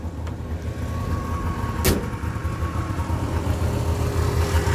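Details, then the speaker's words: Customer's Subaru 360 van two-stroke engine after carb mixture adjustment that cured flooding and sluggish throttle response, warm day: steady, quick, even low burble with no misses; normal idle, mixture control very sensitive. "okay so we've got a pretty good idle going on now"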